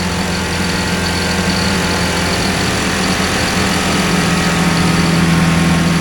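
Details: Two-cylinder hovercraft engine, about 2500 rpm when sped up: steady, strong drone with even beat, no missing or popping; running healthy on both cylinders.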